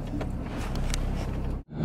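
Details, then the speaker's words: 2014 Ram 2500 6.7 Cummins with 68RFE, test drive just after installing CTT tunes via EZ Lynk: steady deep diesel drone with brief dropout, no knocks or rattles, healthy normal running. "Sounds good and healthy. You can see everything. The truck just sounds a lot better."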